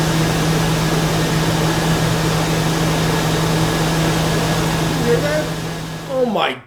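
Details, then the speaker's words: 2000 Chevy Tahoe after lifter cleaning and engine flush, fresh oil: steady low hum, constant tone, no ticking or tapping from the top end; previous hard lifter knock on cold start now gone, smooth even idle. "God, does that sound nice. Not one lifter was making any noise. That's unbelievable."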